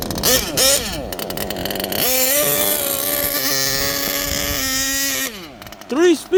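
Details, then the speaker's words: HPI Savage Octane gas RC car, after transmission teardown removing packed factory grease and shift-point tuning, still being broken in, tuned rich: high two-stroke buzz, steady between revving passes, no grinding or slipping; clean shifts. "baby. Audible. You could hear it. Mission accomplished, guys."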